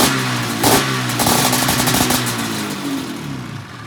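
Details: 1997 XC 700 twin two-stroke with early twin pipes, SLP jetting (pilot 45, 6.5 slide, 1370G needle, clip 4), running a swapped CDI; crisp, even crackle rising and falling with throttle, running strong.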